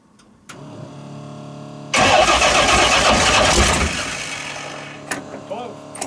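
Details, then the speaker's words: First start of the "old reliable" 355 small-block V8 swapped into the '57 in place of the smoking 427, with timing not yet set: it cranks, then catches with a ragged roar easing to a lumpy idle. Retarded ignition timing, later cleared by adding about 8–10 degrees. "All right, I ain't got my timing light stuff, but I put probably 8 to 10 degrees in it, and it cleared right up."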